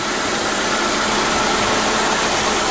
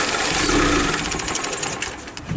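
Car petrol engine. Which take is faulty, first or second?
second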